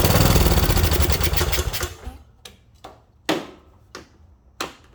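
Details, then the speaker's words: Craftsman mower with Kohler Courage: quick firing about two seconds, then dies to scattered coughs. Owner suspects a trashed carb bowl and butterfly position, carb removed next. "I bet the carb bowls is absolutely trashed. The way that butterfly is, that's probably why."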